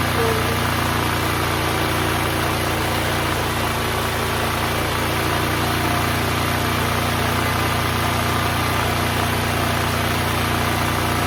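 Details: Duromax XP12000EH Hybrid Elite dual-fuel 12,000 W portable generator, long neglected, running unloaded after repair: steady, even drone at constant speed with no surging or misses; about 63 Hz before load is added. Normal no-load running.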